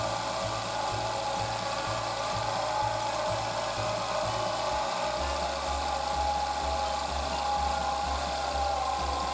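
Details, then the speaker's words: Daihatsu Tanto L375S (hydraulic steering pump version), engine running: steady faint whirring over a pulsing low hum near the belts; compressor and steering fluid ruled out, water pump recently new, alternator suspected, fixed with rebuilt alternator. "ウォーターポンプは少し前に新品と交換してますし、この手の音は、モーター音なのでオルタではないかと。"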